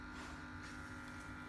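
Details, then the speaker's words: Aqua One 1050 Series II canister filter after a service, filter pad change and flow adjustment: soft steady hum and faint even whirr with no rattles or gurgles; the filter runs quietly and normally, after being noisy for months. "Anyway, the canister filter is running well. It's nice and quiet."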